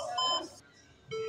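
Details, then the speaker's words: HP desktop POST beep code: three long then two short beeps, repeating five times, indicating failure to return from memory initialization. Suspect the RAM: reseat or clean it. "And when the beep it would be three long beep followed by two short beeps. And the beep will repeat five times and will stop"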